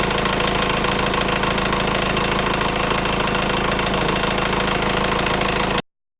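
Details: Engine idling with a constant fast metallic rattle persisting over 3 minutes after starting, even when revving: timing chain has stretched and the tensioner collapsed.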